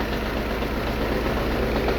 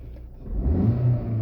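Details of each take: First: Lada Vesta 1.6 engine shaking, ECU already reprogrammed and replaced without fixing it; on motor tester, coils 1 and 2 dropping out: uneven shaky idle with irregular dips, intermittent misfire on cylinders 1 and 2. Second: Lada Vesta 1.6 after repair of shaking and misfire on cylinders 1 and 2, cause turned out minor: short throttle blip rises smoothly from low rumble and settles without stumble; normal revving.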